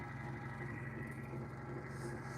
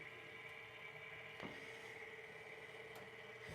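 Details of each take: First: Sole F85 treadmill drive motor, microphone held right next to the motor: rough, rumbling drone with a steady hum on top; the motor bearing is failing, with debris inside the motor cover contributing. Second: Sole F85 treadmill, incline raised from the console: faint, steady incline motor hum with an even worm-gear whir and no knocks or grinding, so the incline drive is operating normally.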